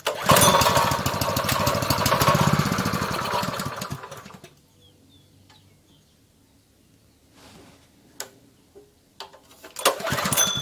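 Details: Honda GP160 likely two-inch water pump engine, stored unused probably over a year and wouldn't start, after carburetor work with the fuel line and spring refitted: steady single-cylinder putter for about four seconds, then shut off; running normally.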